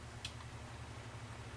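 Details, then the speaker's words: Better Homes and Gardens desk fan model SFDR0-200BPT: low hum with slow, even tick, blades barely turning; shaft binding makes it spin slowly, speeding up when the rear lever is pulled down. "if you pull down on this little lever in the back fan blade increases so definitely think something's just binded up in there"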